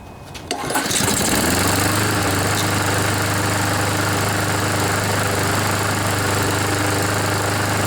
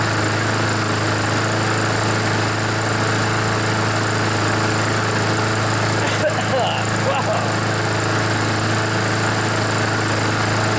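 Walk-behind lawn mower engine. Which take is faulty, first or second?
first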